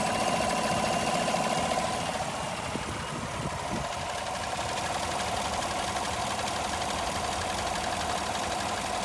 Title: Vacuum Leak